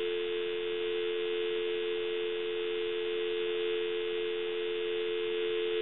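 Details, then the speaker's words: Takara French-style rotary desk telephone, dropped, on initial checkout before repair (handset transmitter later found bad): clean, steady dial tone with no crackle or buzz; line quiet, normal dial tone. "we want to go ahead and plug the unit in give you some dial tone and as you can see it's nice and quiet"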